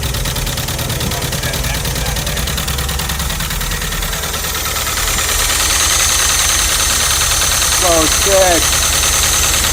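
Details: VW Vanagon Westfalia restarted after a week of attempts, with new spark plugs, fresh gas and injector connectors refitted; settles into steady, even idle with smooth low rumble and some hiss. Normal idle.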